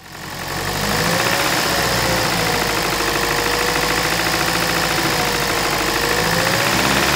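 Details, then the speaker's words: 2008 Toyota Prius Gen 2 engine at idle, microphone beside the engine: dull repeating bottom-end knock suspected from a connecting rod bearing; fixed by replacing rod bearings with the engine in the car. "this engine has an engine knock I believe it's coming from the connecting rod that definitely bottom end is what it sounds like"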